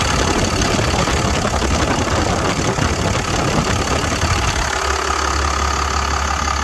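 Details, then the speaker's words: 1999 Freightliner FL50 rescue pumper truck, Cummins diesel, 192,981 km: steady loud idle with usual even diesel rattle, no misses or heavy knocks; typical healthy Cummins. "I'm talking over what many of you probably know as a Cummins. You can hear it rattling in the background, but I'll show you what it is."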